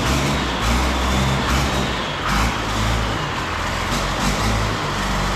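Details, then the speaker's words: Engine and transmission just installed: engine catches quickly without long cranking and settles into a steady, even low rumble with no misses or knocks; normal start and idle. "yay I mean it sounds all right it's pretty antimima right just fire it up that's pretty good there's no M no long crank"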